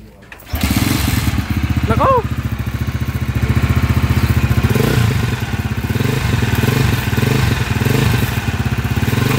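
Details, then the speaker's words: TMX155 single-cylinder motorcycle engine at idle: harsh fast uneven mechanical clatter over the engine beat; timing gear issue, still noisy after timing gear replacement; engine had stalled with lost compression and a broken pushrod. "Ayon so narinig niyo yung andar niya mga kaabo so timing gear isue nito mga kaabo"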